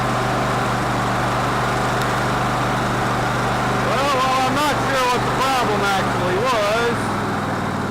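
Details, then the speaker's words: Cub Cadet LT1046 lawn tractor engine that ran rough, after carburetor reassembly (old gas blamed): steady, even low drone at idle with no misses or surging; running better now. "well that gas really shouldn't have been that old or not nasty but anyway it appears to be in better shape now"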